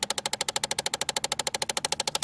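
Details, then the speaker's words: 2008 Chevy Impala, key on: rapid even ticking of about fourteen clicks a second from the HVAC under the dash. It happens when the driver-side temperature is moved between cold and hot, pointing to the blend door actuator skipping on broken gear teeth. "all right so we are working on a 2008 Chevy Impala and it's got a really bad noise when you turn the key on coming from the HVAC system"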